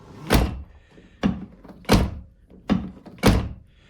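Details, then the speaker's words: Golf tailgate closing after sound insulation: five deep, dull thumps with no rattle or ring; it now shuts much more solidly. Owner notes the handle or something else may vibrate, and a loose bracket had been dinging. "Ну, если не считать этот замок, то он закрывается с гораздо более глухим звуком."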